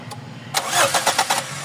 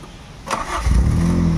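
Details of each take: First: GLI with 4A-FE engine, previously rough idle, low power and low fuel pressure, stalled after a test drive: starter churns with quick even pulses but engine never fires; crank no start, no fuel pressure, fuel pump stopped. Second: Toyota Corolla GLi 4A-FE engine, treated for rough idle, low power, unstable rpm and low fuel pressure, with all parts refitted, cold start; a short crank, then it catches on one click and settles into a steady, even run with cold-start idle.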